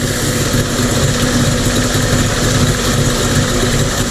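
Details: Mercury 50 two-stroke outboard (9M9XM00591C1) after a new fuel filter and a resealed airbox to stop a suspected air leak. The rough, dying idle is gone; it settles into a steady, unbroken low burble with no stumbling: normal idle.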